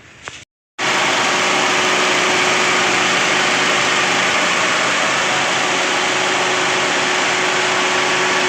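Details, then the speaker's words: 2012 Toyota Rush automatic, after cylinder head replacement and timing chain reinstall, idling: steady smooth hum with no tapping or knock; P0012 cam timing code no longer appears. "Oke untuk mesin ah Hidup ya kita tes jalan tadi untuk p0012-nya udah enggak muncul lagi ya"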